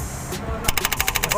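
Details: Mahindra 475 DI tractor, Lucas TVS starter motor: rapid even clacking about twelve per second on cranking; housing (katora) found broken, dirt and oil inside, carbon brushes worn.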